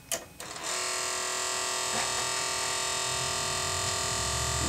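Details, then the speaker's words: Fisher CD player that shows an E error at power-on, top cover off: steady high motor whine with no speed change, as if straining against a jam. Cause suspected, not confirmed. "moving sounds like it's jammed though was looking at some gears underneath there"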